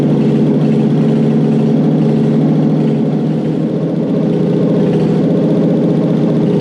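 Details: Toyota 1UZ-FE non-VVTi V8 (95-97) fitted with an immobilizer delete unit in the USDM 89661-50341 ECU, running after the install: loud, steady idle with an even low rumble and no misses or knocks, so it starts and runs healthy. Owner notes cylinder seven has a leaky valve.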